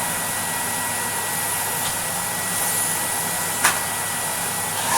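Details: 1980s Electrolux Z2000 vacuum after restoration, HEPA-flow bag and new pre-motor filter: smooth even rushing whoosh with steady high motor tone, no surging or rattles; healthy, though bag-full light no longer works (owner suspects bag airflow).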